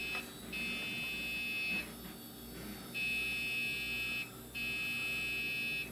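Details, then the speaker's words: Old PC with an IDE hard drive jumpered as master, at power-on. A steady high beep drones for over a second, pauses and repeats, with nothing on screen. Continuous beep at power-on; cause unclear, owner suspects the drive jumper. "Why are you beeping? There's nothing on the screen, oh no!"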